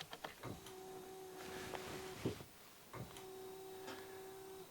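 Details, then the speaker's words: Alfa Romeo 156 with a new replacement wiper motor tested with the ignition on; only the fast speed had worked before. Steady electric motor hum through each sweep with a soft clunk at the end of travel about every 2.5 s, running normally at normal speed. "Allez, je mets le contact. Ok, donc là, il marche en vitesse normale."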